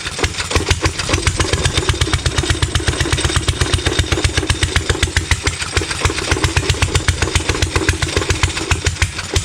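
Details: Stover Duro 1/2 HP upright air-cooled hit-and-miss engine, over 100 years old, first run in 50 years after rebuild, started on second pull: sharp, even firing about four beats per second with steady popping exhaust; normal running.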